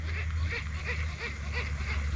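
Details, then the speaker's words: Baitcasting reel makes a dry rhythmic chirp about three times a second in step with cranking, not heard while casting; rubbing squeak from inside the reel, cause suspected but not confirmed. "इस तरीके की आवाज़ आती है। इसका reason मुझे आपको बताना है कि ऐसी आवाज़ क्यों आती है रील में।"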